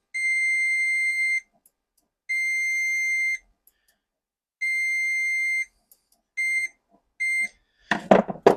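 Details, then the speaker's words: BMW K100 that won't start and is over-fuelling, with the idle not yet set: testing the throttle idle switch with a meter gives a clear high beep on and off as the throttle moves, so the contact closes and works. "perfect so that does work I'm not sure if it's supposed to work continuously looking at the photo that I've seen but that does do something"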